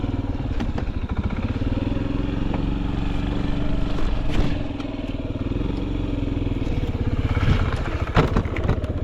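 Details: Honda Zoomer carbureted scooter (AF58), single cylinder: steady, even low beat with no knocks or rattles; quiet, healthy running with no abnormal engine noise.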